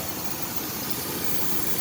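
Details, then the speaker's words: 2001 Chevy S10 Blazer 4x4 4.3 V6, started after sitting two years, warm at idle: steady airy hiss of a vacuum leak somewhere on the intake. "do hear a vacuum leak somewhere on the intake somewhere around there"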